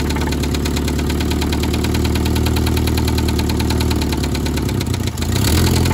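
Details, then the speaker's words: 1972 Toyota Celica 18RC, first run in 26 years after a rebuild of the original carburetor, cold day: steady idle with light metallic clatter about four per second and brief stumbles. Clanky idle, no blow-by; exhaust and intake manifold to be replaced, cause uncertain. "sounds a little bit clanky but once we get that changed out it will sound better"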